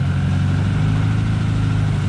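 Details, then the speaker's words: K-series engine-swapped MG Midget before its first short drive: steady fast idle with an even beat and no dip. High idle seemingly from an inlet manifold gasket leak, resealed; improved but not perfect. "high idle turns out that that seems to be a leak from the inlet manifold gasket so I had the manifold off put some seal around it and I think it's better not perfect but I think it's good enough to go for a drive"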